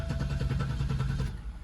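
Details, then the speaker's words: 1998 Oldsmobile Aurora V8, sitting since 2016, battery charged; fuel pump suspected dead, so the engine cranks over freely without starting, with an even starter churn that sounds healthy. "Sounds healthy. That's all I'm gonna do until the fuel pump come in."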